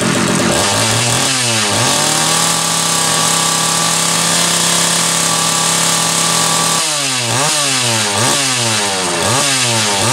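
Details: Homelite 330 two-stroke chainsaw, formerly trash-heap bound: steady buzzing idle, then crisp repeated revs dropping back cleanly; kill switch wire not yet hooked up; healthy.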